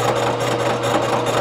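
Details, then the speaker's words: Machining a warped Ford V10 exhaust manifold flat with a 3-inch face mill on a lighter finishing pass: an even cutting hum with soft regular pulses about five per second and no chatter, giving a smooth finishing cut. "man that's way better i should have done that to start with of course you know we could just call it a roughing and a finishing pass"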